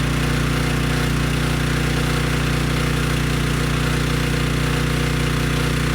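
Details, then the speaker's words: Briggs & Stratton Storm Responder generator, bought non-running with compression, after cleaning a dirty carb, running on a test tank: steady even low drone, no misses or knocks, handling a 3000 W load without issue. "okay good no surprises the engine started right up it sounds good and the generator head makes power and could handle the 3000 watt load without issue"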